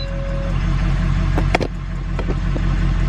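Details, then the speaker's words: Diesel truck after gasoline misfuel, filters refilled with good diesel and primed, intake still off: deep, steady diesel clatter settling into an even idle after a couple of clicks, no misfire; normal idle. "also it seems like she's running good this was an all-day process but I think I think we're good to go"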